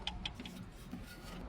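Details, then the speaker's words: 2014 Mazda CX-5 2.0 diesel, running: sharp metallic knocks over low diesel rumble; metal filings in oil, cylinder 3 big-end bearing found missing; rod knock. "So, our noise was coming from the big end that is on cylinder number three. This is where ticking sound was coming from."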